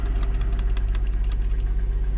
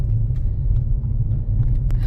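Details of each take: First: 2007 Mercedes E350 4MATIC left parked after the owner heard a noise, jump-started at idle: hard, regular metallic knocking about four times a second; engine also burns oil with blue smoke. Piston knock from a scored cylinder. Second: 2007 Mercedes E350 4MATIC petrol V6 at first start after a full engine rebuild for severe knock, warming up: smooth, steady low rumble with no knocking, ticking or smoke. Normal idle.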